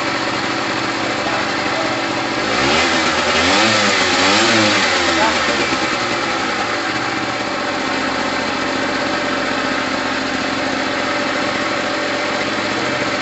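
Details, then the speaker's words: Gilera DNA 125 two-stroke started after a new fuel line, with two-stroke oil mixed in the petrol: crisp buzz rising through a couple of blips and dropping back to a steady, even idle; running healthy. "there's that two-stroke sound we're looking for there is two-stroke oil in the petrol so we're okay at the moment"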